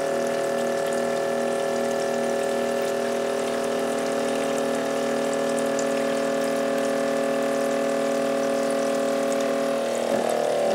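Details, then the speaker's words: Grizzly G0704 CNC mill spindle motor, about 45 minutes into a LinuxCNC job: steady motor whine with cutting noise, then an abrupt change as the motor dies and binds; power strip later clicks off, motor burned out, smoking. "you'll hear right when the motor dies and then a few seconds later after everything's bound up nice and hard and Linux CNC is still trying to go then there's a click and that's my power strip overloading and finally shutting everything down"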